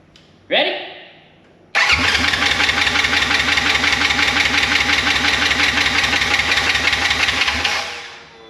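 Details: Wrecked 2016 Polaris RZR 900 S, brake pressure switch bypassed, first start attempt: starter churns steadily about three turns a second for six seconds, never fires.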